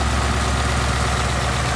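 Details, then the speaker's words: 2019 Ford Mustang GT V8, warm after about 50 miles of driving, idling: a faint, fast ticking over the low rumble, coming from the top of the engine; owner doubts it is normal direct-injection tick, cause not found. "I know what di sounds like I've made tons of videos defending why I don't have engine tech and now it sounds like I might"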